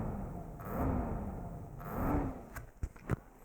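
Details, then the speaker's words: Acer XD1150 DLP projector on power-up: fans whoosh up and die repeatedly as the unit starts and cuts out, with clicks; works normally after about half an hour, bad capacitors suspected, not confirmed. "when I'm plugging it in here I hope you can do that it tries to start but it cancel it goes on and off all the time you can also hear the fans there's notes being and stop"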